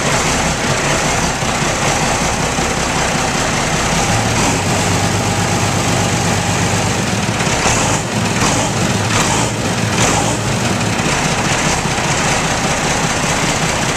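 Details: Ford 9600 tractor, only 134 hours run in ten years, fuel pump leaking, first start after sitting: steady, even diesel rumble without misses or knocks; engine running smoothly.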